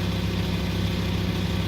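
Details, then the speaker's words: VW Touareg 2.5 TDI diesel after rebuild, idling: fast, continuous metallic clatter over the low drone, steady in speed; rattling rear timing gears, a known common fault on this engine. "И так вот шестеренки отчетливо слышно вот здесь. Вот они гремят. Это у них болезнь у всех."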